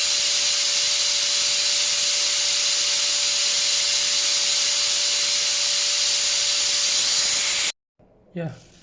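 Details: Multipro ESP99HP electric spray gun after replacing the standard bearing with a better one: steady high airy hiss and constant hum, no grinding or rattle, then shuts off; runs faster, about 110 dB before, slightly louder now.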